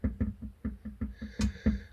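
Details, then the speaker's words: VAZ 2110: dull metallic knocks, about four a second, as a loose exhaust resonator pipe is rocked at its clamp joint to the muffler; engine vibration causes it, mistaken for rear suspension knock. "Вот буквально чуть-чуть я шатаю ее, и уже идет стук. Вот когда идет вибрация от двигателя на выхлопную, вот такое вот может быть."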